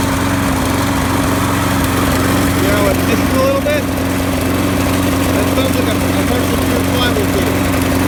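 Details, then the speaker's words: Craftsman push mower, Briggs and Stratton 6.5 HP, recently serviced with new plug and primer bulb; idles with an uneven, lumpy, wavering beat, running rough. Broken flywheel key suspected; flywheel key replaced and carb rebuilt afterward. "when this runs it sounds like it may have a broken flywheel key"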